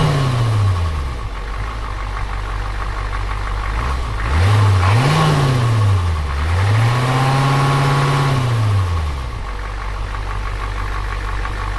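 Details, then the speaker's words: 1988 Ford F250 7.3L IDI Navistar diesel after a timing adjustment, slightly quieter and more powerful than before. Steady diesel clatter at about three and a half beats a second, smooth through light revs: normal idle. "all right guys so this is how it sounds after I've tuned it at idle it sounds pretty"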